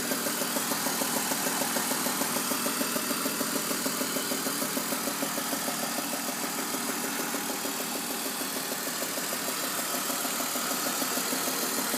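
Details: BMW E46 with VANOS replaced, plugs, tensioners and pulleys checked: steady idle with a sharp, even tick-knock about three per second, suddenly worse, with throatier exhaust and slight power loss; exhaust manifold leak suspected.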